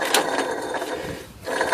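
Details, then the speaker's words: 2001 Buick AC compressor with clutch plate removed, bearing grumbling for a year or two: gritty scraping grumble from the spinning pulley, rough rather than smooth; worn AC clutch pulley bearing. "you can hear that that's not a good sound"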